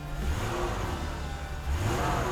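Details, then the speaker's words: Restored Mercedes W126 300SEL warm at 80 degrees, idle 840 rpm, light throttle blip: revs climb and settle back cleanly with no stumble or hesitation; crisp, healthy throttle response. "The response is great, it's really impressive. The response is quite impressive."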